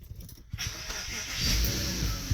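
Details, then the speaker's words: Porsche Cayenne cold start about an hour or two after last drive: brief crank, then the engine catches instantly and settles into a steady, even idle; clean, healthy cold start. "Fires right up."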